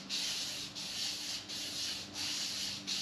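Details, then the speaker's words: Crankshaft journal polishing on the rusty 1984 Chevy 305 small-block from a '57 Bel Air restomod, done to remove gouges: gritty, hiss-like rasping strokes about 1.5 per second show the journals are still rough; the noise should lighten as they smooth. "Now, I don't know if you can hear that, but it sounds rather gritty."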